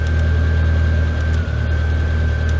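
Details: Classic Mini MPI after cylinder head repair and reconnecting throttle position sensor, just started, not yet warmed up; low, heavy idle with uneven beat and brief sag, no stutter with lights on: rough idle, cause unknown.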